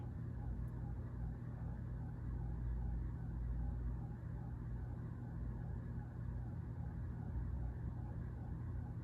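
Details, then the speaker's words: Vintage Heritage ceiling fan in a historic theatre/church, on high after oiling the top: steady low hum and air rush, swirly bearing sound gone, running smooth and balanced. "okay can't hear the swirly bearing sound now yeah to give it a little oil on the top there definitely freed it"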